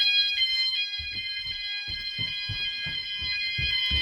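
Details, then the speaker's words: E.M.S. FirePoint 5004 home fire alarm system, sound-alarms test: several shrill, piercing tones together with a low pulsing beat; all sounders working, very loud and clearly audible throughout the house. "you know whatever you are in the house you can hear it quite clearly and it's very loud so it's doing what it needs to do basically there's no way you're going to sleep through that or anything"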